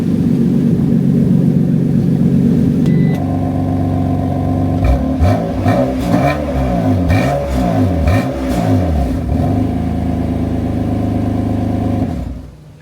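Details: BMW F80 M3 after refitting an exhaust flap actuator, valve confirmed closing: engine fires and settles, then several quick blips rising and falling cleanly; no tinny rattle from the exhaust.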